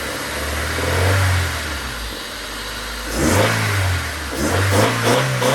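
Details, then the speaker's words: Honda Civic after a track day with a heard knock, failed radiator fan and burst coolant line, 10W-40 oil, mic on tripod inside the car: starts instantly, revved slowly then fast, revs rise and fall smoothly with no knock; normal revving, bottom end sounds healthy. "it started up on a dime it revved fine and I wrapped it all the way up like fast and you guys saw I revved it up slowly just I ripped it up slowly first just to make sure there was no actual knock"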